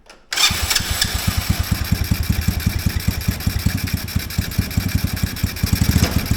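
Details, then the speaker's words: Mini Willys-style Jeep with small Chinese engine, while adjusting the idle screw: idle surges up and down with pulsing loudness instead of settling; suspected sticking, gummed-up carburetor slide and ports. "well that carb is going throttling up throttling down even when I just made a slight adjustment to that I do believe possibly that slide is getting stuck"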